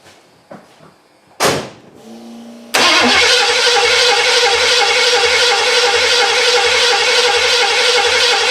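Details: 1982 Ford Granada, parked for many years, first start with fresh gas, a temporarily wired fuel pump and an unprimed dry carburetor: a short crank, a brief stumble, then a loud, steady open-header idle; starts and runs healthy.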